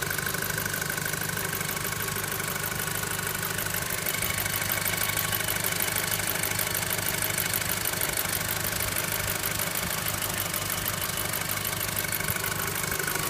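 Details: VW Golf 5 GTI engine at steady idle: faint bell-like ring and light ticking about three times a second; source still unknown.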